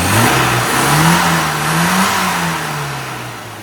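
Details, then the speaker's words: Mini after carburettor tuning, very lean AAV needle replaced with AAF needle: engine revs climb smoothly, hold and ease back without stumbles or pops; clean healthy fueling, owner finds it far more responsive on test drive. "so got this one all dialed in engine's running nicely now got a beautiful fueling curve"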